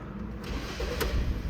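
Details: 2015 Kia Sorento with intermittent no-start and code P0340, with both camshaft sensors found faulty: starter barely turns before the engine catches cleanly and settles straight into a steady idle; a healthy, immediate start.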